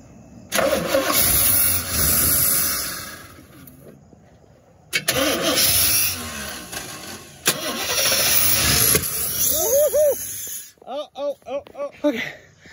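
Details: 1987 Chevy C10 square body that sat about 15 years: repeated cranking bursts, short uneven catches dying within seconds; fires on starting fluid but fuel delivery isn't keeping it alive. Cause suspected, not confirmed.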